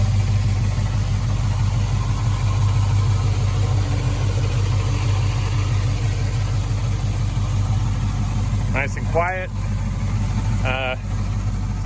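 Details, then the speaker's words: 1965 Impala convertible after LS V8 swap with new headers and engine mounts; steady low rumble with even pulse, mild exhaust note likened to a Corvette, no ticks or knocks: normal idle. "Sounds just like a Corvette. The exhaust sounds like a Corvette, everything."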